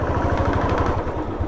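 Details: Royal Enfield Classic single-cylinder, noise appears when picking up under throttle: thump about ten beats a second with extra hollow knock each beat; abnormal engine knock, not tappet, cause unclear.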